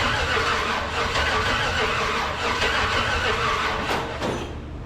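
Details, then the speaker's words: LS-swapped 1948 Dodge rat rod truck, crank no start: starter churns steadily, about three turns a second, with a few faint pops but never catches; possibly fuel supply, cause still unknown. "all right kind of sounds like it's popping a little bit it wants to got to make sure we give your starter a little cool down period"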